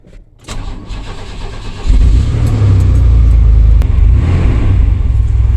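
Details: 1998 Chevy Silverado after in-tank fuel pump replacement: short crank, engine catches and settles into steady deep even run with no misses; starts and runs fine.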